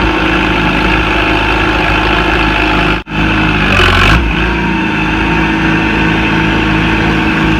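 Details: Farmall Super C tractor, started after sitting two years: even, steady putter with no misses or knocks, smooth warm-up idle while charging the battery; engine in good health.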